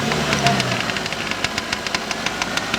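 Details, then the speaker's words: Daihatsu Terios 4x4 on a lift in first gear: a sharp, fast ticking of about three to four clicks a second over the running engine when pulling away. Present constantly, cold or hot. A gearbox or bearing fault is suspected, unconfirmed. "Çok ses yapıyor tıkır tıkır tıkır böyle olmaz tıkır tıkır ses olmaz"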